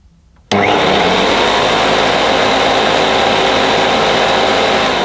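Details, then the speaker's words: 1977 Hoover Junior Deluxe upright vacuum switched on: motor snaps to a steady, even roar holding pitch, no rattles or scraping; so quiet the owner wondered if something was wrong, then checked the agitator rotates; normal motor running. "Deluxe I think I've ever heard it makes me think there's something wrong with it I always thought these cleaners were quite loud"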